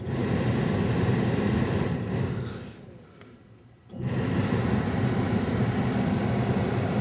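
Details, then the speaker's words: 1978 Mercury Grand Marquis heater blower motor, key in accessory, powered through a newly added relay with a 20 A fuse that bypasses the factory circuitry: a steady low rushing hum that dips briefly, then runs strong and even. Normal blower operation. "so i've now got the car in the accessory position when i complete the relay circuit you'll hear the blower come on"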